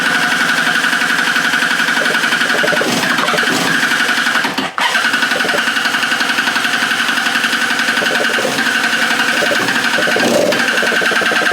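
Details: Free stand-up jet ski two-stroke on a stand after carburetor refit, fuel drained and replaced, low/high mix screws set to 1 3/8 and 1 3/4: revs unevenly, ragged stumbling beat with thin whistle; runs terribly, cause unknown.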